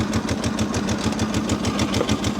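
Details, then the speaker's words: Freshly started Kawasaki at a steady, lumpy idle with a light rhythmic clatter on top, possibly timing chain noise, not confirmed. "Now, when I first heard it up, I was a little nervous because you can hear some noise in here. But I've dealt with enough of these Ka"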